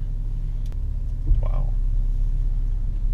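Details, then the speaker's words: BMW F30 in sport mode, full-throttle take-off after replacing the parking brake cable retaining clip: steady low engine and road rumble with no scraping from the center console; fix confirmed. "success it did not do it we have fixed the problem and saved about I'm gonna call it 1195 dollars"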